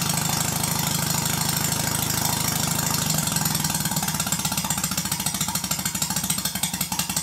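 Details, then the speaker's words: Stuart Sirius steam engine run on compressed air slowly: crisp evenly spaced exhaust beats, no knocks, easing slower; healthy, well-timed engine. "it's not too bad when running slowly but this isn't going to generate much electricity unless you increase the speed [Music]"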